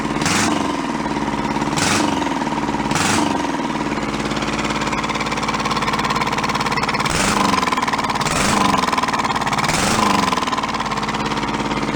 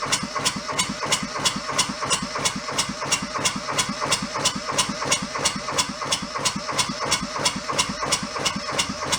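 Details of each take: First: Junked small Kubota diesel engine saved from a scrapyard, restarted after swapping backwards throttle and shut-off solenoid wires: steady clatter with an even beat and a few brief sharp bursts; running properly. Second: Junked small Kubota diesel fed from a bottle of diesel, hose squeezed to prime: sharp, even clatter near three beats a second at idle after catching, but air returns to the fuel line so it won't keep running.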